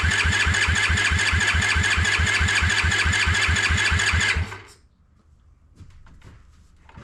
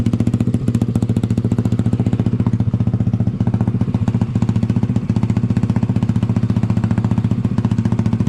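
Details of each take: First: Honda ATC70 with a Piranha 140cc swap, first start: cranked with no spark to circulate oil, a steady, even starter chug about twice a second for four seconds, never catching, then it stops. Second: Honda ATC70 with a Piranha 140cc single, warming up after first start: a fast, even putter with a deep, not-too-loud exhaust note and no misses or rattles; a healthy idle, though the owner thinks it may run a little lean.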